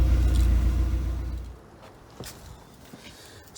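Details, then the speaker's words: 1995 Vauxhall Cavalier MK3 X20XEV, warm start (driven that day) after crankshaft position sensor replacement, previous intermittent stalling with flashing ECU light: starts fine, smooth regular idle without stumbles; normal idle. "there you go starts up fine um as i say it's been running pretty well"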